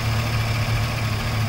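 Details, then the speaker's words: Freshly swapped GM Gen V V8 idling steady and smooth after a throttle body relearn reset with the engine off; this fixed a rough, off-sounding idle. "so now we're Eiling a good timing the engine sounds much more healthy and happy it's very nice and smooth"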